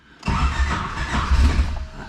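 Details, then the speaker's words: Turbo Wagon ('Wago') on a fresh tune, extra fuel added for starting: starter cranking with a few uneven firing bursts that swell and fade without settling into idle, fuel smell; tries to fire but won't start, dead times suspected. "try to start that time so we're getting somewhere so and i smell feel so we're gonna try it again"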